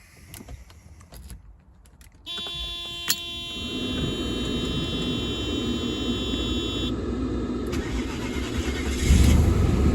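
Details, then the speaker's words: Mercedes W124 E420, M119 4.2 V8, started after a long repair with the distributor rotor refitted and everything dried. Starter catches, then a smooth, even idle with a steady low hum and no misses. Normal idle before warm-up. "sounds good it's idling fine all right I'm gonna let it warm up for a little bit see how it's doing and I'll check back with you guys"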